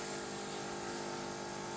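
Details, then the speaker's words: Saeco Royal Cappuccino automatic espresso machine: after grinding, pre-brew wets the coffee, then extraction gives rich crema; steady, even pump hum with constant tone, no surging or knocking – normal espresso extraction. "Now you will see the pre-brew wets the coffee to help it to swell, and then it will extract the coffee, which will give you a beautiful crema, as you will see here."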